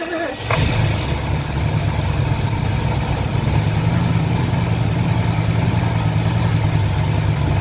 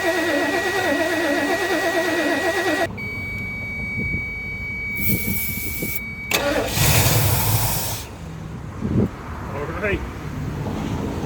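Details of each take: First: 1977 Lincoln Mark V 460 V8 on its first start after long abandonment, fuel poured into the carburetor bowls and starter triggered from under the hood: fires after a brief crank into a deep, steady, even idle with no knocks; sounds healthy. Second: 1977 Lincoln Mark V 460 V8, abandoned project, fuel feed disconnected, starter triggered from under hood: engine catches on fuel poured into carburetor bowls, runs roughly then fades; starts on prime only.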